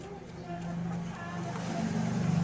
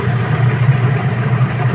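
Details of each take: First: Sharp Gigawash Jr washing machine, pulley turned by hand; low rough grinding growl with uneven churning; water had entered the gearcase and blackened its grease, worn gearcase needing replacement. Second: Sharp Gigawash Jr washing machine after gearcase replacement for noisy spin: strong, steady low hum, smooth even spin, no grinding or knocking, noise gone. Normal spin.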